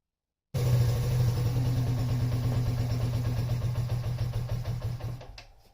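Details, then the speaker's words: Yamaha Raptor 50 quad warming up: single cylinder thumps slowly and unevenly at about three beats a second, fading toward stalling; idle set too low, later fixed by turning the idle screw in half a turn. "quick all right so she's iding a little too low I think we need to make a little bit of adjustment on the uh throttle position real quick"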